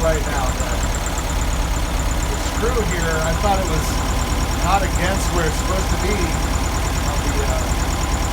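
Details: 1971 VW Beetle air-cooled flat-four with cleaned reproduction Kafer 34 PICT-3 carburetor, mixture screw just turned out: idle wanders and stumbles without settling; owner suspects choke fast-idle part not returning fully, giving a false idle.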